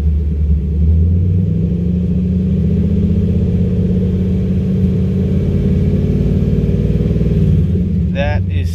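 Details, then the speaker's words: Chevy Camaro that had Service StabiliTrak and codes P0174, P0202, P0302 with rough idle, after the fix: smooth, even engine note rising gently with the throttle, no stumble; misfire gone. "let's see if my misfire's still there no that sounds good see the difference in sound watch i'm gonna just ease into the gas"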